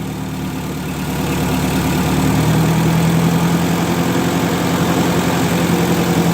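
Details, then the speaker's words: 1958 Oliver 550 gasoline tractor, nearly rebuilt, idling while distributor timing is adjusted for a nice idle, sweet spot between too retarded and too advanced: steady low thump about four beats a second, smooth and even. "Now we're going to fiddle around the engine a bit. We're just going to try and get it so it's got a nice idle."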